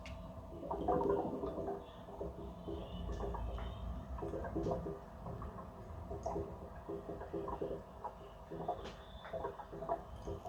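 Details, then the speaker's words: Gas boiler drained down with isolation valves closed to change a part such as the diverter valve: soft irregular gurgling and bubbling from the expansion vessel, where water is still trapped on the primary side. "that gurgling noise has come from the expansion vessel"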